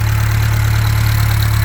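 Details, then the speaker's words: Freshly rebuilt Atomic 4 marine engine with new gaskets (previous mastic removed), test run with muffler: smooth, even low hum at steady idle with no knocks, misses or ticks; running clean, alternator charging about 14 volts. "you can also hear how smooth that is just really smooth"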